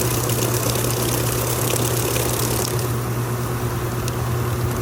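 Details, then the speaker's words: Kenmore stacked washer, belt and tensioner pulley drive, moving from rinse into final spin: steady low motor hum and faint hiss as drum reaches near full speed, drain running, slight normal tensioner kick, no knocking. "So as it kind of gets started out and starts to balance and level itself, you might hear that tensioner pulley kick just a little bit, which is normal. There it goes, getting up just about full speed."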